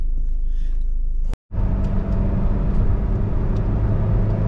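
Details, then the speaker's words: 2001 Toyota RAV4 2.0L four-cylinder after coil pack and spark plug replacement: engine pulls smoothly under acceleration with clean steady rumble, no stumble or misfire; check engine light no longer blinking, no misfires in live data. "I think she accelerates now check engine light not blinking"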